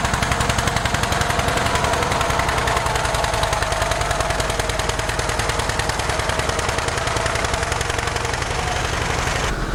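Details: 1947 John Deere B two-cylinder tractor, warming up: slow, uneven popping with long gaps between firings, running on only one cylinder; spark plugs were changed as the fix.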